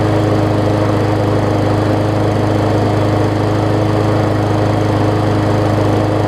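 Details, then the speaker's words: Murray 20-inch 3.75 hp mulching push mower, long dormant with a stuck-open intake valve that was freed, after an oil change with Seafoam, new air filter, primer bulb and pull rope, and the governor vane freed: runs strong and even, no surging or missing, much better rpm. "so let's see how it runs now also kind of freed up that vein a little bit for the uh for the governor much better in the rpm department"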